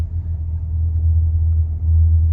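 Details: 2020 Honda Accord Hybrid cruising at 10 mph, battery charging. A deep, steady, droning rumble surges about every second. The low-speed vibration has returned after a dealer earlier replaced a microphone; its cause is unknown.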